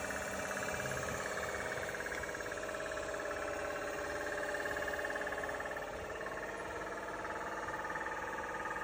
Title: Kia Soul 2021 ticking Noise (part 2)